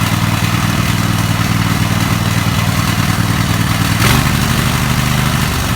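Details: Small single-cylinder mower engine started with choke after a blown head gasket was replaced: steady, even running with a clean consistent beat and no knocks or misses, healthy.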